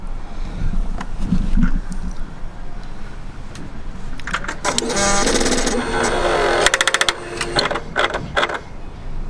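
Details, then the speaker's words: Suzuki GSX-R1000 K1/K2, camera near exhaust: SET exhaust butterfly valve servo gives a quick run of sharp woodpecker-like taps, then strained buzzing as it tries to turn; valve seized, to be disabled. "So it did it 3 times then, but it's like a woodpecker sound followed by and almost a sound of it trying to turn."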